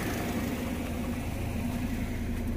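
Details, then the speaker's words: Car at about 114,000 km, idling, with a worn front radiator fan motor: a steady hum with a fast pulsing wobble as the loose fan shakes. It risks the fan hitting the radiator fins and overheating, so the motor needs replacing. "Jadi kalau ada ciri-ciri bunyi-bunyian ya itu teman-teman harus segera cek pasti ada masalah di mobil kalian"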